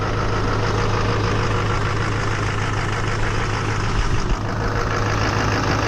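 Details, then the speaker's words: Chevy/GMC Duramax diesel truck in cold weather with a slight charging issue, just started after being jumped, oil pressure up to 80. Even diesel clatter at steady idle with a constant low hum, no misses or odd knocks; alternator and engine sound good. "Alternator's doing good. Engine sounds good."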